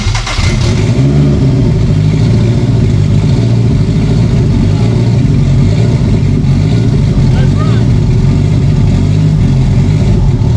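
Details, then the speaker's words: Build with ECU on base map, open downpipe, no coolant system, run briefly to set fuel pressure and timing after valve clearance fix: loud raspy steady engine note, firing evenly right after start; running normally. "i gotta get my video too but it runs"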